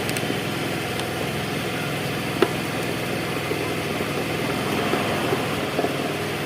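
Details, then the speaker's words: Carbureted Honda Vario 110 scooter (had a CDI replaced earlier, recently broke down), battery not yet charged: starts right away and ticks over at a steady, even idle, fine when revved; normal idle. "Oke, enak ya, langsung ya. Oke, langsung bunyi. Coba kita gas. Nah, sip ya, sudah sip."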